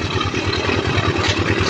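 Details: Honda TMX155 single-cylinder after repair of noisy timing gear and oil consumption, with oil added and valve cover fitted: a steady, even putter at idle with no knock or rattle; normal idle.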